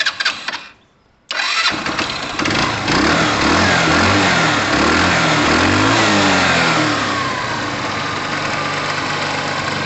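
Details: Tamoretti Retro scooter that stuttered after a minute of riding on the return from its MOT (owner suspects a kinked line): cranks and catches, revs briefly, then settles to a steady, even idle without stumbling.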